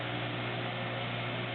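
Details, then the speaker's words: Maytag WU482 dishwasher ball-bearing motor run with the belt off via timer and door switch: steady low hum with a faint, light rattle from the worn bearings. "so ball bearing motor and you can hear him rattling a little bit"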